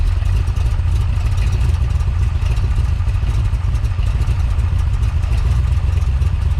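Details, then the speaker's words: Big-cam big-block Chevy with a freshly rebuilt Holley 750 double pumper and drilled throttle butterflies (loose power valve already fixed): deep, loping, uneven idle. Curb idle screw turned up, it idles high, then falls on its face and nearly stalls, needing an accelerator-pump shot; rough idle. "so you saw there I turned up the curb idle screw it idle went up I was able to let my hand off the throttle but it was idling high and after a few moments it wanted to fall back on its face and wanted to stall out and it needed another pump shot of gas"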